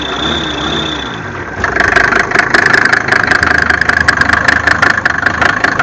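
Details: Mercedes OM605 diesel just after start-up: sharp metallic clatter ticking steadily over idle, louder than normal injector noise; engine knock, cause undetermined.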